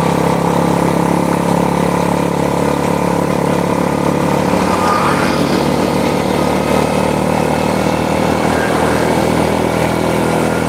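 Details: Honda Supra motorcycle shipped in by cargo in a box, after workshop overhaul of a badly damaged engine; small single running with smooth even beat, no knocks or rattles, rides well: normal running.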